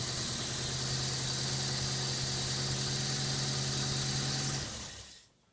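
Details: Subaru EA82T turbo flat-four on Megasquirt MS3x, with the fused ignition and injection relays refitted: even idle with a steady low hum and constant hiss, then shut off near the end; normal idle.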